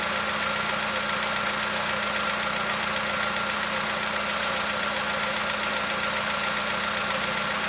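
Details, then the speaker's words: 2015 VW Polo sedan warming after cold start, outside −2.5°C: light regular tick two to three per second over the hum, nearly gone by now; owner suspects cold valve or hydraulic lifter, unconfirmed. "Это холодный клапан. Ну не знаю. Гидрокомпенсатор."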